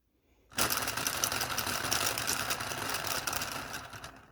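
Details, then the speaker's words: Small 3D-printed "Telboy" solenoid motor with thin wire and small magnets, run on a JL94 circuit at high voltage: rapid, uneven clicking about four per second that stumbles and fades; the motor is barely keeping itself running. "here it goes yeah you can hear it it it wants to go it kicks in and it goes"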